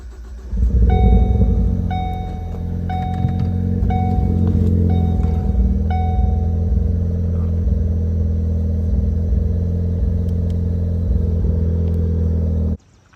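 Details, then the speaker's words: 2013 Ford Focus ST with a random misfire, normally around 2,000–3,000 rpm, just restarted after the fuel rail and injectors were refitted: an uneven, lumpy idle with a stumbling beat, now worse and constantly misfiring at idle. "Alright, it is actually worse now. It is constantly misfiring at idle."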